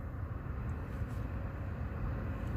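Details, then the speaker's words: Nissan Rogue with key on and engine off, after replacing the cabin blower motor and blower resistor: a smooth, steady rush of air on a higher fan setting with no squeal or rattle; the speeds previously failed. Normal blower operation. "could hear it hi you hear the difference so that's what it was not doing before so now it's good the fan and the resistor"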